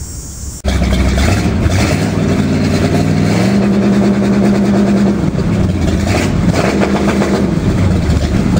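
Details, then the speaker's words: GM HEI-distributor engine with MSD Soft Touch rev control wired for 3,000 rpm limit: starts, revs and holds with a soft repeated stutter as limiter grounds the coil, limiting a bit before 3,000; working normally. "a little note is you're going to see on the tachometer that's it's going to limit a little bit before 3,000"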